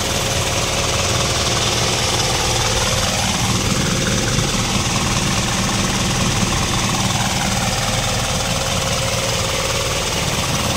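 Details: Isuzu 4HL1 diesel, formerly knocking and running rough, after injection timing was adjusted by three teeth: a steady, even idle clatter with no knock and one-click starting.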